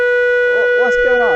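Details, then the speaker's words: VW T5 Transporter with faulty BCM, before replacement: steady blaring horn held without a break, sounding on its own alongside random indicators, wipers and hazards; pulling fuses didn't stop it. "I've been taking the fuses out I tried doing that to try and stop the the horn from blowing so I could drive a van around"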